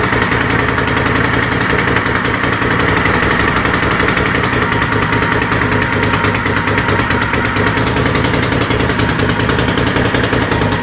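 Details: Troy-Bilt GTX 20 with new lapped valves and gaskets, carburetor issues, gas fed directly into carburetor: loud, raw, crackling unmuffled exhaust at steady fast idle on choke; muffler baffles gone, essentially straight pipes.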